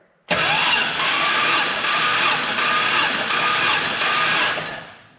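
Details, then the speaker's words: Warm Hemi V8 muscle car engine cranking with all plugs out and carburetor propped open for a compression test, reading 125 psi on the first puff and 195 psi final; fast, even starter spin, normal cranking. "All right, our first number was 125 and our last number was 195."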